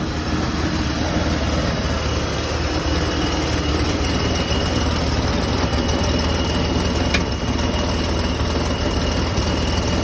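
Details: BMW E39 cold engine at steady idle with a faint repeating knock under the running noise; cause unknown.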